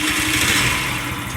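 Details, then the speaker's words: Scrap-yard Chinese scooter with a small single-cylinder engine, carburetor just refitted, air cleaner off, catches and revs with a buzzy putter and runs on its own but slightly uneven; owner plans carburetor adjustment. "oh yeah actually she idles doesn't idle smoothly like I like it to but I'll tune that up a little bit adjust that carburetor a bit"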